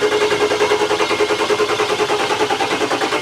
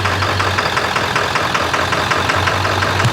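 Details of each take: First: Ford Excursion 7.3 Powerstroke diesel after a 500 hp build (hybrid injectors, dual fuel pumps, bigger turbo) on its fifth start attempt. Steady, rapid starter chugging at about three per second that never catches, then cuts off. Crank no-start during high-pressure oil priming. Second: Ford Excursion with 7.3 Powerstroke diesel, ~500 hp build (Full Force hybrid injectors, dual fuel pumps, KC turbo, S&B intake), freshly reassembled, on a Jelly Built tune for single-shot injectors: even, steady idle clatter with regular ticks, no misses or knocks, "purring like a kitten"; normal idle.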